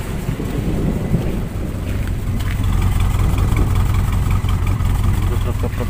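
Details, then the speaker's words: Toyota Kijang Super, carburetor cleaned and spark plugs replaced, before replacing spark plug wires: starts fine but bogs and stumbles when revved as if about to die, engine vibrating; ignition misfire, spark plug wires suspected. "Sebenarnya enak di awal itu jegekgegek langsung greng cuman begitu digas nah kayak mbet gitu Jadi kalau digas kayak mbet kayak mau mati gitu"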